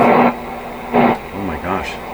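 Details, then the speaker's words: Canadian PYE Model 762 receiver during oscillator, antenna and RF alignment, tuning near 6 on the antenna band; short loud rushing bursts then swooping whistles sliding in pitch as the dial moves, squeal suspected as feedback or misalignment, unconfirmed. "so this could be an alignment issue out of alignment in alignment oh that sounds like uh um feedback"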